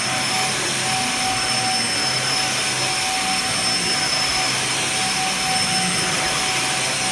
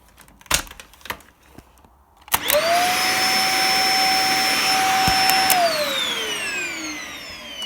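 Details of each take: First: Dyson DC50 vacuum, running after repair: even high-pitched whine with steady rushing airflow, no surging or rattles; healthy, normal running. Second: Dyson DC50 upright vacuum after repair, cleaned but not fully stripped: motor spins up to loud steady high-pitched whine, then falls away at switch-off.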